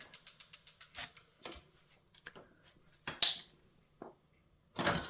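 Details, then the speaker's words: 29x2.1 mountain bike rear wheel after tire remount and disc brake adjustment, rotor centered between pads: wheel coasts with about eight quick freehub ratchet clicks a second slowing down, no scraping, brake pads not in contact. "And I think it's okay. The wheel is spinning. The brakes are not in contact."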